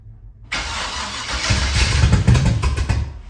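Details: 1979 Camaro, 355 V8 just reinstalled, carbureted, restart after timing read 20 degrees with a backfire and rough running: fires into a loose, uneven, stumbling burble; measured air-fuel about 22.5:1, dead lean.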